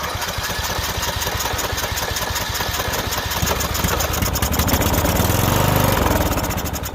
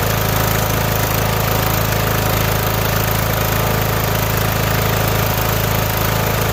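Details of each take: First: Small engine, fuel poured into the carburetor: rapid cranking chuffs turn into firing, then the small single revs up and runs. The no-start was confirmed as a coil kill of some sort grounding the spark. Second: Mower: a steady, even engine note with a smooth low thrum, no misses or surging, running cleanly on its own gas tank.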